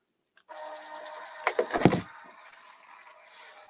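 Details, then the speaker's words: RC plane servo (aileron) being cycled on the bench: short burst of gritty whirring and clicks as it sweeps and stops; it works, just very noisy through the gears. "they work get the world's noisiest servos"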